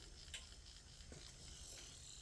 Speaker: now it's not all that noise these bearings need to be oiled that's what we're gonna do